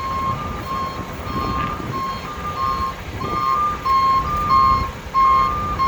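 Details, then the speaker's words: Loaded stone dump truck backing up on soft ground at a watermain excavation site while the loader operator signals it; steady high-pitched beeps about every two-thirds of a second over a low diesel rumble; reversing alarm working normally. "And there's a dump truck backing up. He's got more stone. The loader operator is signaling the dump truck to bring that stone back."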